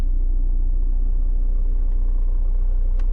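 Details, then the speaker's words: 2013 Vauxhall Mokka 1.7 diesel at idle with the clutch pedal pressed; faint rhythmic chatter from a failing dual mass flywheel, and the whole vehicle vibrates when revved. "If I just put my foot on the clutch now, you can just hear a little bit of a chattering"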